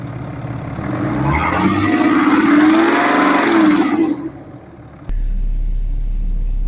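Diesel revs up and back down, then idles with a dull, regular knock underneath that follows engine speed: a worn connecting rod bearing.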